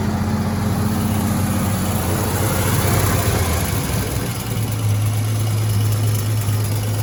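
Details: 1956 Dodge C3-H6 1.5-ton truck, first start in over 20 years, run on hand throttle with a screwdriver key and leaking: old six runs a bit lumpy, then settles to a lower steady beat; running after long storage.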